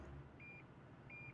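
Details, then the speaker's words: Toyota sonar assist parking system, reversing at idle: two steady high beeps about 0.7 seconds apart warn of an obstacle behind, with yellow bars on the display; beeping gets more rapid as the obstacle gets closer. "so as you can see as soon as i start backing up the actual radar is gonna start going off you can hear a couple of beeps"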